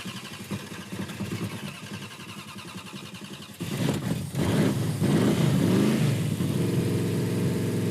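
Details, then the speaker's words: Hatchet Coronet (Mopar) big-cam engine just started after carburetor install: loud, lumpy, loping idle, great oil pressure, sounds rowdy and healthy; engine only wakes up around 3,000–3,500 rpm, stall converter wrong (needs ~3,000 stall). "Great oil pressure. Man, she sounds rowdy."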